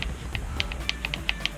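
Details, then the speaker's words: Kyosho Inferno MP9 TKI4 Readyset nitro RC car: spur gear held while clutch bell is rocked by hand gives light crisp plastic clicks, a little knocking backlash showing correct gear mesh after engine refit. "you just want to hear a little rocking and a little knocking noise that's telling you the mesh is perfect"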